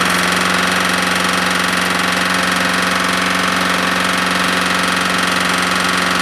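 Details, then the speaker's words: Smoking Husqvarna lawnmower single-cylinder engine burning very thin black oil, suspected past the rings; hard even slap about three a second under the exhaust note; owner suspects a bad connecting rod. "uh what i'm thinking is it's got a bad rod there's a lot of slap in there"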